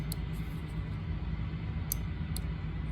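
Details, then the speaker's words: Free electric scooter, controller reconnected and switched on: a few sharp crisp clicks over a low rumble as the relay pulls in normally, yet no battery voltage reaches the motor positive. "clicking together which means we are supposed to have battery voltage at the motors positive which we don't"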